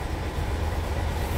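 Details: Engine running after a blackout was fixed by replacing the defective battery relay and fuse and securing the battery cable: steady low drone with an even, unbroken rumble and no misses or knocks. It now runs smoothly.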